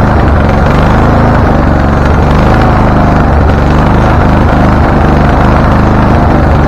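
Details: Husqvarna LTH 1438 riding mower, 13.5 engine, reported to backfire through carb and exhaust; first start before repairs, choke not closed: loud, uneven lumpy rumble with irregular pops; mower shop suspected loose cam gear, unconfirmed.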